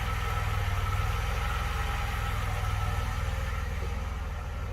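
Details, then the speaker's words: 1982 DeLorean DMC-12 with 5-speed manual, warmed up after a slow warm-up. Steady, even low idle with a smooth rhythm and no knocks or misses. Idle about 750–775 rpm, near the roughly 750 factory setting; healthy. "so all right it's starting to sound a little better now it took a little while to get up to um warm up i guess i mean it's obviously warmed up now"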